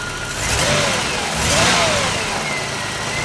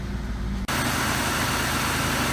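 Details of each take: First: 3300 engine with smoke and unusually dirty recently changed oil: engine breaks up in uneven surges under acceleration instead of smooth climb; no knock, typical 3300 tick. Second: Long-stored Trofeo with 3.8 engine, 92,000 miles and old oil, first start after sitting: after a brief start-up it settles into a quiet, smooth, even idle with no knocks, ticks or misses, no smoke or check engine light.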